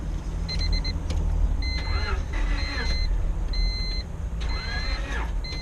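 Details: 2000 Honda Civic (7th gen) jump-started from a jump pack with a very low battery: engine catches and settles into a steady low hum with dash chimes over it; running normally, normal idle.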